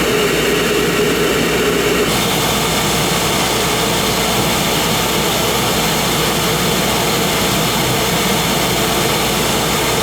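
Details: Oil burner motor run with the controller jumped out to flow oil during service; 3-year-old 1 gallon 70 nozzle, head clean, burning clean. Steady, even motor hum with smooth pump whir, no knocks or rattles: normal burner run.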